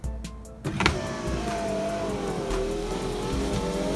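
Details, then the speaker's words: VAZ (Lada) power window with old cleaned felt strip reinstalled (new ones didn't fit): motor whirs steadily with a thin squeak as the glass travels; the worn window felt still rubs and needs replacing. "Все равно чуть-чуть звуки есть. Надо менять. Все-таки надо менять."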